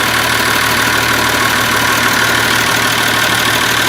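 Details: Massey Ferguson 1200 diesel after turbo, manifold and cover plate refitted and oil lines primed: loud, steady idle with even clatter, no rubbing now that the alternator no longer catches its adjuster bracket; good oil flow through the turbo, sounds healthy.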